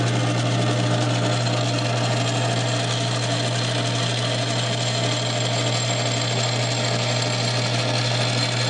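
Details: South Bend 9" lathe converted from Model B change-gear to Model A quick-change gearbox, gearbox engaged, with an aftermarket gear fitted: steady, even gear whine over a constant low hum with no knocks or grinding; running smoothly.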